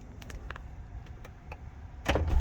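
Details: C5 Corvette after replacing the driver door control panel, key in accessory: a few light clicks, then a short, firm power-window motor whir that stops cleanly; the window works normally.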